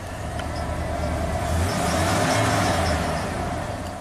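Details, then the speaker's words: 1992 Ford F-150 5.0 V8 fitted with a used eBay throttle body and a good TPS plugged in but not installed: it stumbles on a quick throttle stab, but revs climb smoothly and evenly on slow throttle. Smooth rev on slow throttle. "now if i step on the gas it you can hear it obviously uh it doesn't like that because it thinks the throttle's not opening but if you slowly increase it"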